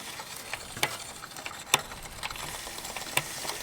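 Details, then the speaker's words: Triathlon bike, cranks turned in a cross-chained gear: quiet hissy scrape with scattered light ticks as the chain rubs the front derailleur. "e is I'll run the pedal up at the front and you'll hear that the chain is actually rubbing on the de-railer there, and when the chain is cocked in this way, you'll get rubbing on the outside of the de-railer."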